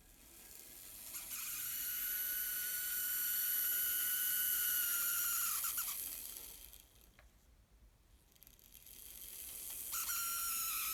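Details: Fleischmann N-scale locomotive motor: thin high-pitched whine with several stacked tones that cuts out briefly and returns; abnormal motor noise, cause unknown.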